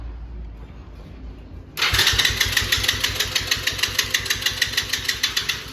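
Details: Four-wheeler ATV engine started after sitting 2-3 months through cold winter, battery problem, warm day: quiet, then fires and settles into quick steady thumping about three beats a second; normal start.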